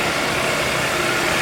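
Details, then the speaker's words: 2013 Kia Rio after alternator replacement, with the battery disconnected and reconnected so the idle is relearning: steady, even idle with no rattle or knock. The engine rattle is gone and charging reads about 14 volts. "I've had the battery disconnect noise is gone and around here"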